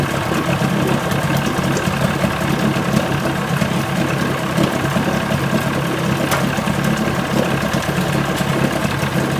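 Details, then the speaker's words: 1980 Chrysler 45 hp outboard (Starcraft boat) brought in for crank-no-start after coil packs replaced and points found faulty earlier; with new L82C plugs it started and idles steadily, evenly, no misses or surging. Owner likely skipped the fast-idle warm-up lever. "again there's nothing wrong with this i don't know over the season so wow you know i almost wish there was something wrong with it"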